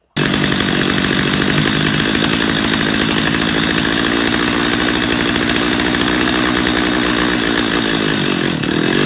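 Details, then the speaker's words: Chainsaw carburetor tuning, close-up: a steady high buzzing rev holds, then dips as the mixture screw is turned past peak speed. "go back to your idle screw turn on your idle screw back down until that chain just stops moving"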